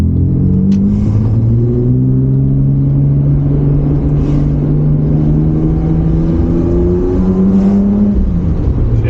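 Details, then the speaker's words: R31 Nissan Skyline RB30 six-cylinder on a test drive after fitting a Holden VL Turbo ECU and brown-top injectors; ran cool. A clean, even note rising and falling smoothly with throttle, no stumble or popping. Running fine, with more midrange pull. "hopefully you can see in the video that it's um yeah running fine smooth it did feel like it had a little bit more pick"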